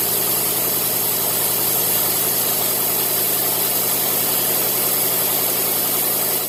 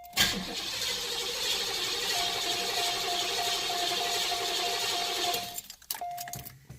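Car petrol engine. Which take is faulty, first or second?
second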